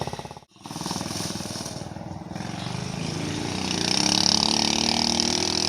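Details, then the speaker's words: 90cc Warrior off-brand dirt bike after a year sitting, carburetor cleaned: fires after two kicks and revs with a crisp, even popping beat, steady with no knocks; running fine. "Well, after 2 kicks, she fired right up, ready to ride."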